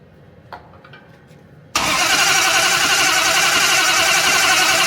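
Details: Duster drag car methanol-fueled race build, first start before tuning: fires at once into a loud harsh ragged roar; rough running, suspected injector harness wired flipped despite OEM-spec wiring, cause unconfirmed.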